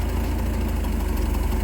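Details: 1987 Bayliner Capri, MerCruiser 3.0 converted to Holley Super Sniper 2300 EFI: steady, even low idle with smooth regular firing, no misses or knocks, open loop without oxygen sensor; idle position maybe a little low but healthy.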